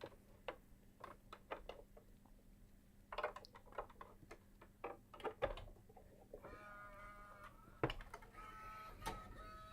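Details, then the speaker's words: Bose 3-disc CD changer after repair, powered up in a test housing: light, evenly spaced clicks as each drive's arm swings against switches during the startup self-check, then a short mechanical whir; normal startup self-check clicking. "Okay, now during the startup phase, which I'm sure you're familiar with, you hear a bunch of clicking, and all that clicking is each of the drives contain an arm, and the arm just swings back and forth because there's some switches over here, and it's just a self-check saying, hey, good to go"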